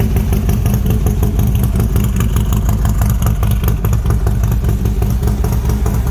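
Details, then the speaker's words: Freshly built Harley-Davidson V-twin engine with Wood cams, running for the first time since assembly: loping, lumpy idle with a steady low beat and a bit of valvetrain clatter on top; runs even and sounds healthy. "this is the first time the motor has been started since we put it look at together"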